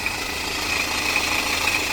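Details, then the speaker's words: Customer car at idle, mechanic suspects timing chain: fast, light metallic chatter rides steadily over the idle without changing speed, the chain bouncing around inside and making the noise. "that's the chain bouncing around in there making all that noise. Sounds pretty cool, eh?"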